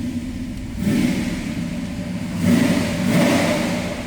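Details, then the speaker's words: 1965 Dodge Coronet 440 hardtop with a 383 V8, shortly after a cold start: a deep, even rumble climbs cleanly on two throttle blips and settles back, not overly loud, no misses or clatter; normal revving. "Little rumble coming out of that 383, nothing crazier over the top as far as loud exhaust goes."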